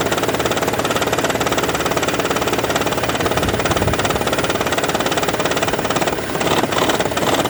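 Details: 2012 Toyota Prius, warm idle while the hybrid battery charges: steady light knock just over twice a second with an even rattle behind it. Absent on cold start, also at low speed, often in ECO mode; coils, plugs, injectors already replaced, cause unknown.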